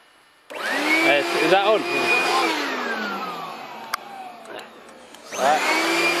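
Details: Homemade pulsejet on its third run attempt, with a new ignition circuit (new coil, HT lead, fixed condenser) and a tuned fuel rail: a loud roaring buzz spools to a high steady howl, sags, then roars back as it lights and runs on its own.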